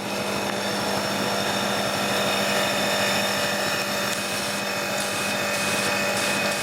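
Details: Annovi Reverberi pressure washer after freshly changed motor and pump oil and freeing a jammed valve piston: steady, even motor drone with constant pump tone, no knocking, surging or stalling; builds 600 to 1000 psi; normal running.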